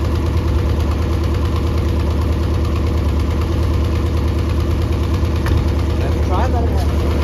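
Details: Mercury 90 hp outboard on a Shetland 535, run out of the water: steady low drone with an uneven, lumpy beat about two pulses a second; bottom cylinder not firing, spark plugs swapped to test.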